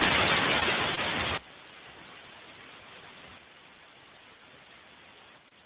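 Loud, harsh ultrasound hiss from a dry bearing drops sharply and keeps quieting as grease reaches it.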